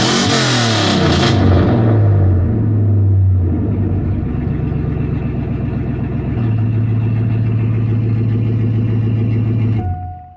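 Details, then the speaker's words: Parts truck 5.3 V8, said to have lost rear main seal, leaked out its oil and started knocking; revs climb and settle cleanly with steady low rumble, no ticking or knocking, smells of oil: normal revving, no knock. "that sounds healthy I don't hear no motor knock let me know what you think in the comments"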